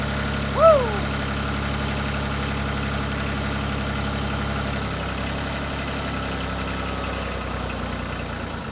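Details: 1988 Yanmar 336D diesel tractor, unrun for 6 years, after fuel, oil, air filter and coolant checks, throttle at three quarters; steady low chug at raised idle, even with no knocks or misses, sounding healthy.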